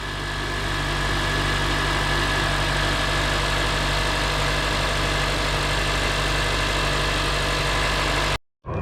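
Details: 2006 Honda Accord LX after starter motor replacement and battery reconnection: smooth, even idle hum with a steady low drone and no ticks or stumbles before the engine cuts off; normal idle.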